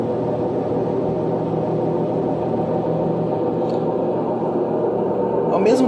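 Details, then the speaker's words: LG washer-dryer spinning at 600 RPM: loud steady roar with droning low tones from blown drum bearings, compared with an identical machine with good bearings. "lava e seca está fazendo barulho na centrifugação, está roncando muito alto. Será que o problema está nos rolamentos? Essa máquina aqui está com os rolamentos estourados."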